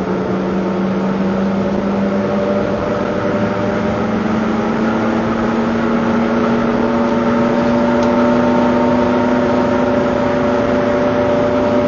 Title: Engine Noise during accelerating 2